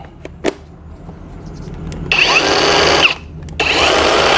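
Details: Cordless electric chainsaw, after checking chain tension and chain oil feed: two short bursts of high steady motor whine with chain hiss, no stumbling or grinding; motor and chain running normally.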